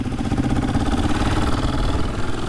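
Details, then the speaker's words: 2003 KTM 450 EXC restored and converted to 2011 supermotard, 14/38 gearing, kickstarted first kick after opening fuel: even, rapid single-cylinder thumping at idle, no misses or knocks. Normal idle. "Le bruit de la 450 déjà il est magnifique."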